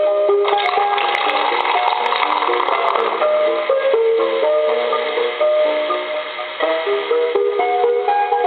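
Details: Coca-Cola animated polar bear telephone, initial checkout before repair: thin, tinny tune plays through a small speaker with steady, clean notes; the animation sound works fine, though there is no dial tone.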